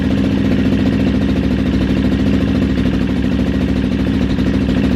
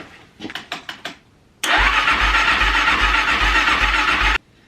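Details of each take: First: Kawasaki KXF400 quad after carb fix, slide plate had been installed backwards/upside down: even strong single-cylinder thump, steady beat, no misses, pops or rattles; idles and runs great. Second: Kawasaki KXF400 quad with carburetor leaking fuel around the bowl, dead battery on jump pack, choked, gas in bowl: short cranking bursts then long steady even crank, never catches; cranks but won't fire.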